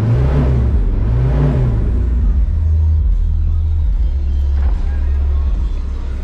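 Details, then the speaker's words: Diesel ute started cold after sitting a couple days, after belt, crank pulley and exhaust work: catches and settles into a loud, lumpy idle with an uneven beat at first, a rough cold start. "Right, this does like to start rough cold and it hasn't been started for a couple days, so."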